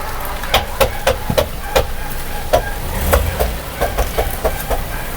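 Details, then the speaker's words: Toyota RAV4, full-time 4x4, creeping while turning under load: sharp, irregular clicks about three a second, noise appears only when forced into a turn; mechanic suspects the 4x4 transfer case, not confirmed, many parts already replaced. "eh kailangan makalas ko talaga kasi pag yung nakapwersa siya ng liko doun umiingay."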